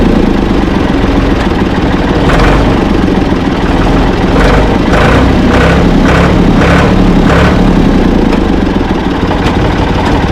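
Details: Ford 445 tractor, owner thinks a 1970s model, restarted with owner aboard: steady idle with even low clatter and a few light handling knocks; engine healthy, though drive quit, owner suspects worn linkage.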